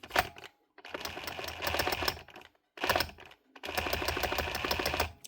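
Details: Dewalt DCH273 SDS drill, gearbox short of grease, not changing modes or drilling: bursts of rapid rattling chatter with thin uneven hammer attempt, jamming in hammer-drill mode; crank suspected, fix is cleaning and regreasing.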